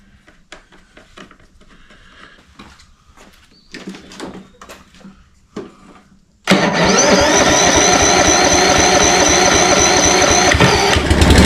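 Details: Toro Personal Pace 22-inch self-propel electric-start mower after new fuse holder, new battery and cleaning a dirt-clogged starter drive; quiet clicks, then catches into a steady even drone, no misses or knocking; normal running.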